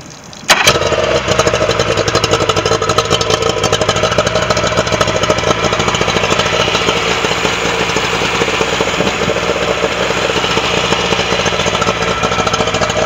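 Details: Yamaha 40 hp outboard after blown head gasket repair on cylinder three, with new head gasket, carburetor kits and spark plugs, after sitting a couple of years: fires within half a second, then steady, even idle; normal running.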